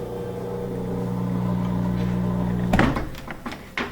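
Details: Whirlpool front-load washer, door locked, controls unresponsive: steady low drain-pump hum for under three seconds, then a clunk and relay clicks as power is cut for a reset. Drain suspected not clearing water.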